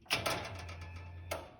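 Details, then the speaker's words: Factory Five Cobra Roadster with Ron Francis EFI harness, starts but won't stay running: at key-on two sharp clicks as the CCRM clicks the fuel pump relay, brief low hum as pump primes, then another click. "you can hear the ccrm click which is also clicking the relay for the fuel pump which then primes the fuel pump"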